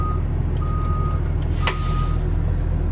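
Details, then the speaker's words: School bus during a Vermont pre-trip inspection, diesel idling in reverse: clear high beeps about every half second over a steady idle; the backup alarm sounds as required; normal. "He'll come back on board, and you will already have had the bus running, because you have to test the reverse lights, and he has to be able to hear the audible alarm for backing up, as you can hear"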